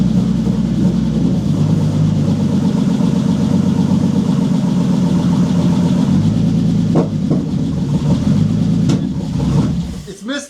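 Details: Bentley Continental GT W12, first start after months sitting abandoned, many ECU warning lights: uneven stumbling idle with irregular beat for about ten seconds before shutting off; misfire suspected, not confirmed, spark plugs not replaced.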